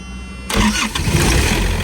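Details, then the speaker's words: Thermo King reefer unit diesel engine in cold weather: it preheats, fuel turns on with a buzz, then it cranks briefly and catches within half a second into a steady, even idle; a clean healthy start. "It's a diesel engine, so it has to preheat the motor and everything, and then fuel turns on and you hear the buzzing, and then it starts up."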